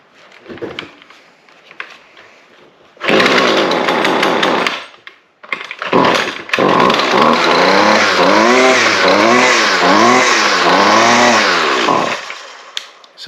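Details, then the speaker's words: String trimmer (weed eater) that would not shut off, after replacing the faulty handle kill switch: small two-stroke buzzes steady, restarts and revs evenly, then winds down cleanly when switched off; normal running and shutdown. "our switch is working now. [Music] So, there had to be something wrong with that switch that we had in there."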